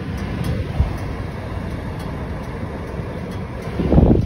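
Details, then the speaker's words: 1982 Layton travel trailer with DuoTherm 65017-64 forced-air furnace, previously failing to ignite intermittently in freezing weather: steady burner-and-blower rumble with brief creaks as the metal heats, showing normal operation. "you hear that little creaking noise that's the metal heating up you're in business you're good to go when you hear that"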